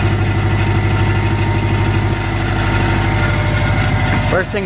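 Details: Subaru Legacy GT just after engine reinstall, first start: steady idle with fast even ticking chatter; owner suspects loose AC belt causing the noise, needs tightening.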